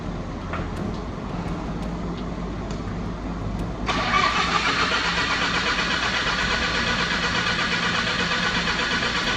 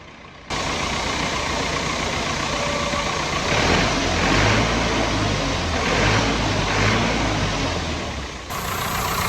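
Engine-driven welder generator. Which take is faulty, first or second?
first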